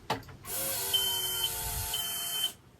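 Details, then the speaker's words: MerCruiser MX 6.2 MPI boat engine after replacing fuel water separator filter, key cycled to reprime: steady electric buzz with thin whine about two seconds, then clean cutoff; normal fuel pump priming. "We're going to go ahead and reprime the fuel system by hitting the key a couple different times. And you'll hear the fuel pump turn on and off."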